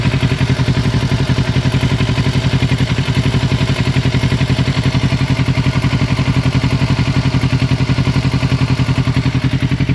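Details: 2006 Kawasaki Ninja 650R at idle: steady even ticking clatter around 220 per minute over the engine note; source unknown, unclear whether normal or a fault.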